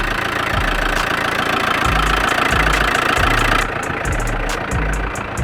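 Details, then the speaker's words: Crashed Audi 80 idling just after starting: coarse grinding with dull thumps about four a second that stops suddenly when the clutch is pressed; has done this since bought, owner suspects a stuck clutch, feared the engine seized. "basically, it feels like the clutch is stuck and it's doing this sound and when you press the clutch, uh, it goes away suddenly."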